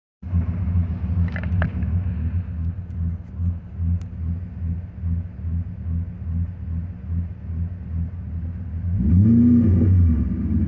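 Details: BMW M60B40 V8 with chipped 404 DME and 7k rev limiter. The idle rises and falls slowly and rhythmically, then a quick blip; slow return to idle, and the owner suspects a vacuum leak.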